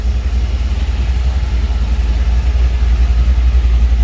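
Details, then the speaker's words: 1949 Chevy 3100 truck with a new motor on its first start; deep, steady low rumble with an even pulse near 3.5 beats a second; owner notes it is very cold-natured: normal idle. "This bitch is running. She sounds good."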